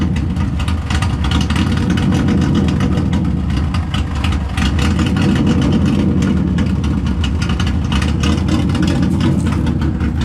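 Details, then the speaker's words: Subaru idling on an auto-tune fuel map after a no-start: loud, deep, chuffing idle with an uneven lope like a big cam, louder from a large exhaust hole right before the muffler. Throttle response may be hesitant; it later stalled. "I do got a leak where I had a big ass hole right before my muffler, so that's why it's a little loud."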